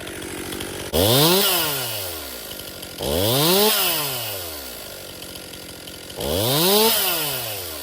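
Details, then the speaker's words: Stihl MS261 M-Tronic chainsaw, hot after running and restarted after a 5-minute rest: three sluggish throttle blips that bog instead of snapping up to speed; owner suspects it's going lean and probably needs a carburetor service. "You can hear that bog. It's not a nice fast acceleration. So, it's going lean."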